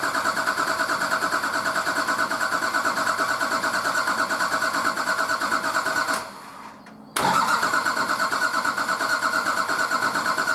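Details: Nissan Patrol RD28 diesel, first start after injector and pump install, idle over six months: cranking with injectors cracked loose to bleed air, steady chug about three a second, drops out briefly, then catches.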